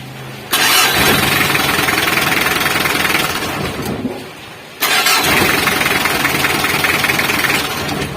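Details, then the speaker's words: Mitsubishi L300 diesel after repair of a broken wire at the starter relay, relay refitted: engine catches promptly, steady diesel clatter, shut off and restarts cleanly; starting works normally. "berfungsi normal. Kesimpulannya, sumber masalahnya adalah kabel yang putus pada relay."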